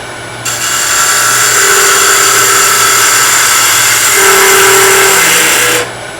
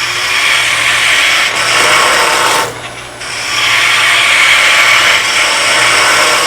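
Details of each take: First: Skew chisel on a wood lathe cutting short softwood stock too wide during stock reduction: steady cutting hiss with an intermittent buzzing hum of tool chatter and vibration. Taking smaller cuts is the fix. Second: Wood lathe turning maple, skew chisel planing cut: steady even hiss of shavings over low lathe hum, no chatter or catches, smooth steady cut leaving a clean surface.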